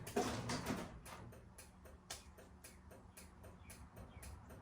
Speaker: You're going to hear clicking sounds if the lights are working in the garage door opener. A lot of times the lights may not be working in it, but you will hear a clicking sound.